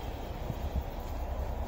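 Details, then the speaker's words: 2004 Nissan Presage after fixing DTC P0507 (idle higher than expected, idle air control; rough running and shaking before): quiet, even low idle rumble, rpm steady with no hunting, engine sounding healthy. "So yung RPM hindi gumagalaw. Ayun mukhang magiging okay na po to. Matining na yung makina kung maririnig niyo kaibigan."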